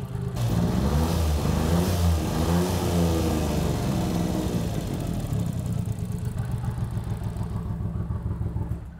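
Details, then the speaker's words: "Flat white" after years sitting on a farm (possibly under water), run after transmission, extreme clutch kit and machined flywheel refit; revs then settles to an uneven, lumpy, wavering idle, kind of runs; coolant leaks noted, cause unconfirmed. "Well, it kind of runs."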